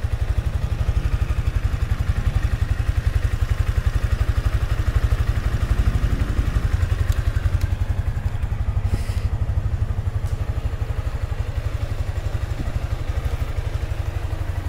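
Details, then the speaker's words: Sniper 155 motorcycle just after an oil change with Shell Advance Long Ride oil and a new oil filter: even, steady low idle putter with regular firing pulses, no knocks, ticks or rattles; no unusual noise, engine healthy. "Siyempre, pakinggan natin kung meron siyang kakaibang tunog. Wala"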